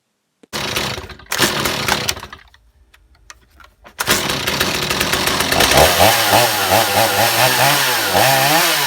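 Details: Stihl MS250 chainsaw, tank vent line removed for testing: it revs, but the pitch sags and wavers under throttle instead of climbing cleanly. Bad bog persists even though backing out the mixture screws helped slightly.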